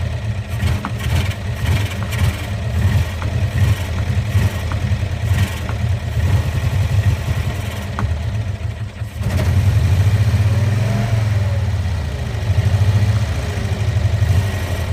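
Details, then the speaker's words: 1965 Cushman Truckster two-cylinder, started after sitting over a year, in neutral: rough idle, and when the throttle opens the revs swell briefly and never climb, choking out. It bogs on acceleration; owner suspects the choke not letting off. "for some reason it doesn't want to accelerate just chokes out that's the big problem"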